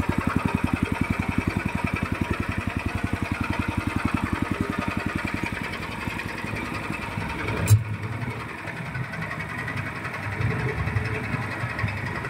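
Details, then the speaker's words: Horizontal dough mixer driven by a 9 HP General Powell CX 270 petrol engine, test run on half a litre of fuel: even, heavy low chugging at a steady beat, no knocks or rattles; described as smooth yet heavy because the engine is large. Normal running. "Tadi ya suaranya ya halus ya, ini berat, suaranya kayak berat karena ini besar."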